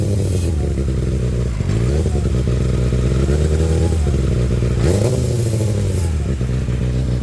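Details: Kawasaki ZX-6R: rough, gravelly rasp over the engine swelling each time revs are blipped with the throttle; grinding of unknown origin.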